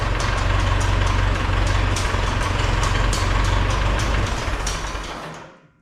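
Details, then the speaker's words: 1971 International Farmall 544 tractor after tune-up (new plugs, wires, 12 V coil, distributor cap, carburetor adjustment), started without choke in garage: steady low idle, even quick beat, no knocks or misses, then clean shutdown; idle may need slight adjustment. "I'm not sure if I'll need to adjust the idle just a little bit um but other than that uh I think that's good"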